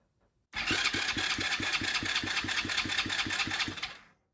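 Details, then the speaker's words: Chinese 125cc ATV engine after top-end rebuild (new piston, rings, honed cylinder), starter jumped directly from battery: even, quick cranking about 3.5 beats a second, no gaps or clatter; compression then 150; normal cranking. "strike that starter and it should turn over for the first time. Sounds good."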